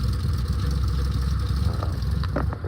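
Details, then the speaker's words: 1967 VW Splitscreen bus, air-cooled flat-four: choke kicks in, then engine settles into an even, steady low chug at tick over with no knocks or stumbles; normal idle. "The choke kicks in. Yeah. The choke kicks in and then then she goes to tick over. Look. Can you hear that? She's ticking over now."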